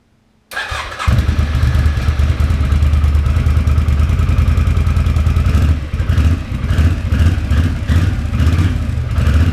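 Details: 2006 Can-Am Outlander Max 500 after fitting a new AGM battery: it catches quickly, settles into a steady, even idle and takes a few clean revs; a healthy start and run.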